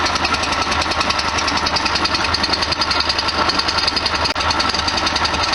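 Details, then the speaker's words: 1973 VW Super Beetle air-cooled flat-four, just after a cold start, no throttle; engine visibly vibrating and bouncing. Rapid steady chuffing beat, about three and a half pulses a second, holding a good idle. Normal idle. "Ah, the sound of a high MPG motor. Look at that vibration, bouncing up and down."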